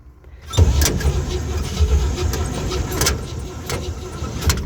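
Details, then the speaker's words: Old tow truck, idle for months to a year, with a new battery, gas primed down the carburetor, and fuel from a gallon can: the starter spins, the engine catches and sputters unevenly. It is fuel-starved and likely wasn't primed enough; the Bendix earlier failed to engage. "Let me prime it again. I'm still just running it off of a gallon gas can over there."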